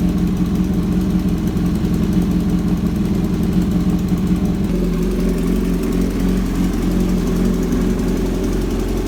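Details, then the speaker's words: Kawasaki Z900 inline-four, cold start after long sitting, idle with a loud fast steady tick from the front of the engine, also heard when riding; owner suspects leaking header gasket, unconfirmed. "now I guess you are able to you know understand how the bike is is making that ticking noise and um you know it's it's it's it's literally loud okay it's literally loud"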